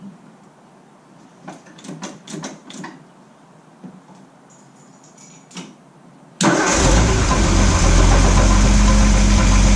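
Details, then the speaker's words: Ford F100 truck after an engine failure, newly fitted with a Pertronix Ignitor and Flamethrower coil, ignition timing not yet set, fed from an IV-bottle fuel supply: a few quiet clicks, then it catches at once and settles into a firm steady idle. Starts and runs properly. "I'm gonna go ahead start it up I have not done any timing I can't see my timing marks on the harmonic balancer but it sounds really really good"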